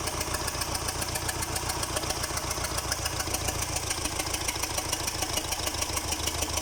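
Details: Liebherr 924 after repair: steady, even diesel beat with a crisp, regular pulse and no knocks or misses; normal running.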